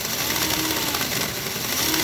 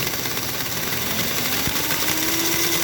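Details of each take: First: Magna Rossa Fat model train motor on a rolling road at 1.5 V and 0.35 A, after brushes were cleaned and polished (draw down from 3 A): high, smooth, even whir with no scraping or stutter, spinning freely. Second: Old K5-type Magna Rossa Fat model train chassis (c. 1947–48) on rolling road, armature smooth but drive wheels lumpy: fast, uneven mechanical chatter over busy motor whir; loose drive linkage rattle.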